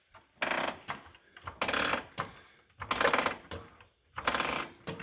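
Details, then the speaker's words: 2014 Can-Am Maverick, wheels jacked off ground, suspension pushed: creaks in bursts about every second with each push; dried-out O-rings in shock swivels, cured by servicing shocks. "the rubbers dry up and that's the noise you'll get i'm gonna jack it up and you might be able to hear the noise and see if yours does"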